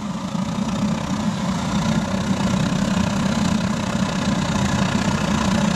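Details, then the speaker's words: Pot belly stove with a gravity-fed waste oil burner and blower, throttled up to full output with the drum getting hot: a steady, even roar with a low rumbling flutter held constant; running clean and healthy at full burn. "I think she's ready for a bit of a throttle up [Applause] just got to love that sound"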